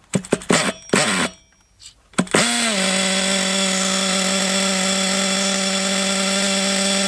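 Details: Thunder Tiger EB4 S2 Pro nitro RC buggy shed find, engine hot with reasonable compression: after a few pulls and a pause it catches and holds a steady, even, high-pitched buzz. Normal running, possibly short on nitro fuel.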